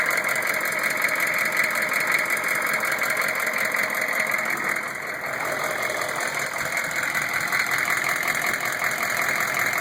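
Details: Newly installed rebuilt 6.5 diesel long block at idle, heard from below with the inspection cover off: light, uneven knock about every third of a second, loud in cab. Rocker oil flow weakens toward the rear; flex plate and converter bolts fine; cause undiagnosed.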